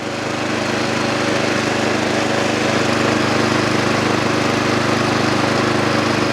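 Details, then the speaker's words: Snow blower or mower small engine after carburetor cleaning and rebuild, started with choke and primer: steady, even single-cylinder putter at idle with no stumbling or surging; idles cleanly. "I am not pulling this pull cord anymore cuz I don't want to here we go now it idles let's get some seafoam in"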